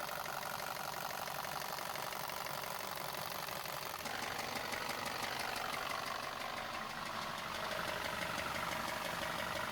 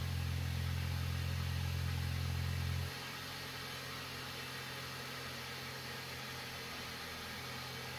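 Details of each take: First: Neglected VW Passat engine, many fault codes including cylinder knock above threshold: sharp metallic knock about three times a second over idle, steady and deep; sounds like rod bearing knock, though cracked flywheel or timing chain tensioner not yet ruled out. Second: VW Passat that had an engine knock, after replacing a cracked intake manifold: it fires, holds a fast idle, then drops to a steady, even idle with no rattles, knocking or faults. Normal idle.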